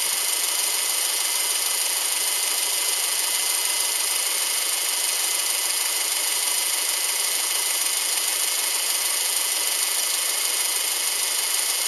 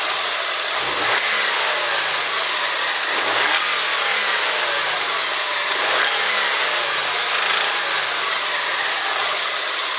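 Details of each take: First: Subaru Outback EJ253 flat-four after rebuild: steady even idle hiss with no knocking or tapping, smooth and healthy. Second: Subaru Outback EJ253 engine, damaged, before rebuild: revs up and settles several times with uneven rapping knock riding on top.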